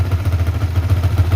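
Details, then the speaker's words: Yamaha Vixion NVL single-cylinder after fixing oil not reaching the cylinder head, smoking from burnt spilled oil: steady low pulsing idle, somewhat high, no clatter from the head; oil now reaching the head, running normally. "ini Memang stasionernya agak keras agak besar yang penting oli sudah naik"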